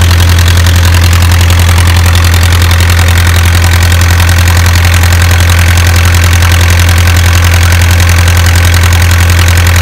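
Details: Isuzu 4BA1 85 hp diesel coupled directly to a 5-inch single-impeller pump irrigating a 20-rai durian orchard, pushing water about 800 m uphill; steady, even clatter over constant deep drone, no misses or surging; normal healthy running under load.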